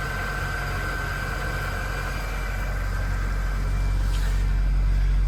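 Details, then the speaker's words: Toyota Corolla, about 262,000 miles, cold start: steady metallic clatter over the low idle drone; timing chain rattle, engine needs a timing chain set. "it also needs a timing chain set in the engine and it clatters like mad as you're about to hear"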